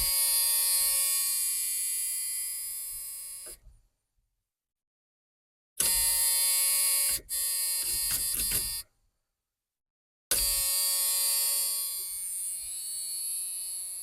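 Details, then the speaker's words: 1986 Ford F150: shrill, steady seatbelt warning buzzer sounding in repeated bursts with silent gaps, working normally. ">> Do you like that noise? >> No, I don't like that. That is irritating."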